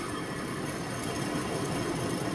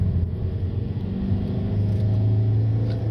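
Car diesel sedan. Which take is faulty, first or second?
first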